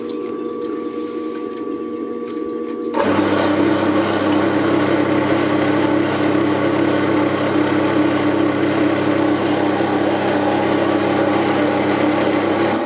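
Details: Bandsaw on a trolley with newly fitted coolant pump, first test run: motor hum, then a steady even whir from blade and pump with an unchanging note; runs clean, though some coolant loops round with the blade.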